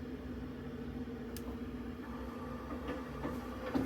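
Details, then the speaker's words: Boiler just fired up, with condensation outside and the flow getting too hot: steady hum with scattered sharp cracks, crashing and banging as the heat exchanger kettles, thought not to be distributing heat. Pump and valves are fine, and the heat exchanger needs replacement. "on that one you could hear the P exchanger crashing and banging around uh so yeah it definitely needs a new heat stranger"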